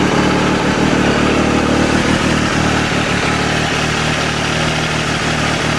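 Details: 2012 Triumph Tiger Explorer three-cylinder at idle: loose, uneven rattle about three per second over a steady idle; source unidentified, owner plans to take it to the dealer.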